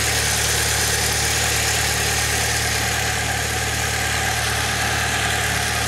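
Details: 2006 Saab 9-3 2.0T, 189,000 miles, idling after valve cover gasket replacement, before oil change; steady, even idle with smooth unchanging hum, no knocks, ticks or misses; no new leaks seen, normal idle.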